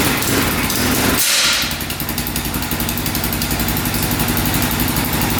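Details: 2004 Yamaha Raptor 660 single-cylinder quad, long unused, oil now full: choppy uneven beat cutting out and catching like a rev limiter, not revving out; owner suspects a safety switch.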